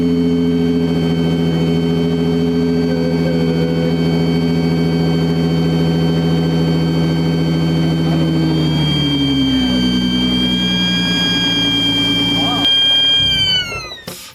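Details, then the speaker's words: V6 Mustang (3.7) with supercharger kit fitted: loud steady high whine over the engine, likened to an airplane taking off, sliding down with revs before shutdown; cause unclear. "that sounds freaking cool"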